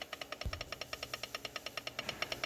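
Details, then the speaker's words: 2018 Wolverine 850 engine: sharp even ticking about eight per second, heard with the piston at top dead center on compression and louder on the other stroke, none with hash marks aligned; suspected gear lash, not confirmed. "as soon as you put the piston on top dead center or the compression stroke you can hear a noise from it and when you put it on the back one the noise is more prominent"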